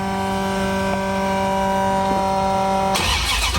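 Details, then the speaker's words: 1973 Dodge Dart rebuilt 360 V8 after all plug wires were moved over one to advance the timing. A steady, extremely loud V8 with even low firing pulses, then revs as it drives off; it runs great apart from a minor coolant leak. "all right so it seems to be running good I'll drive it up another driveway we're not going to go too long cuz I'm sure the neighbors love [Music] this all right running great it's extremely loud"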